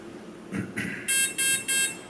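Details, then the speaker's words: Align RCE BL80X/BL50X ESC in programming mode via transmitter: three evenly spaced high beeps from the motor marking the battery protection (cutoff voltage) setting. "now we'll hear three beats which is battery protection"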